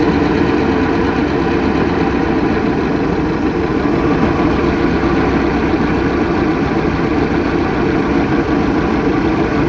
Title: Mercruiser 3.0lx rough idle